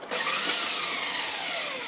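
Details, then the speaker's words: Nissan 300ZX (Z32) no-start, microphone under the car: loud high-pitched whir winding down with no cranking rhythm, starter spins but engine does not turn over; owner suspects starter or flywheel, unconfirmed. "yeah sounds like the uh the starter turns but it doesn't um the car doesn't crank over engine doesn't crank over"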